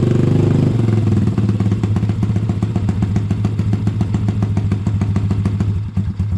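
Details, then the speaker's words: Honda ATC70 with a Piranha 140cc single, just after first start: a brief rev drops into a steady, slightly uneven idle thump; runs healthy, though the idle may need adjusting. "Might need to adjust that idle a little bit. Sounds pretty good, though."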